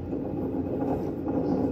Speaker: Vous entendez au bruit, le roulement il est juste mort et il est complètement bloqué.